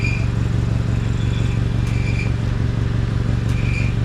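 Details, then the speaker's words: Honda CR-V at idle after ignition coil and spark plug inspection: steady low idle with a thin high-pitched buzz coming and going every second or two from underneath; exhaust pipe rattle stops when a foot presses on the pipe, cause unclear. "okay and now watch I'll put my foot on the pipe and the noise goes away so I'm not sure why it's making that noise and if it's just a rattle yeah I'm really not sure what's going on"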